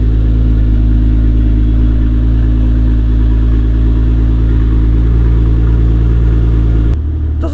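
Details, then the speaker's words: BMW E30 325i M20B25 turbo build, idling after fitting a 3-inch downpipe, not yet warm: loud, deep, steady exhaust rumble with even beat, no misses or knocks; sounds quite nice, normal idle. "Doesn't sound too bad. It sounds quite nice. It's got a nice little BMW sound to it."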